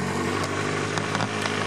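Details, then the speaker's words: Cold carbureted bike engine at -3°C, started with choke full on and idling below 1000 rpm; adjusting the choke raises idle to about 1500 rpm. Steady, slightly uneven single-cylinder beat with speed creeping up; normal cold-start behaviour. "there, it's picking up speed. But if I move this one back to normal, it's picking up even more speed. Now it's at 1500 RPM or so there."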